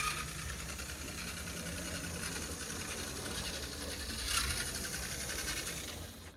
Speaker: When the truck moves around, the screw is actually able to touch the frame of the locomotive, and it makes that pretty awful noise that I was hearing.